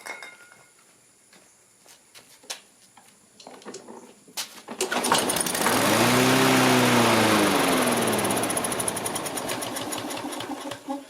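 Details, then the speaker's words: Dump-found Troy-Bilt TB360 self-propelled mower, Briggs & Stratton 190cc, on starting fluid: catches, revs rough about four seconds, then sags and chokes out; clogged carburetor jets. "I tried it earlier and it seemed to pick up a little bit, but it was still sputtering and it would not run on its own."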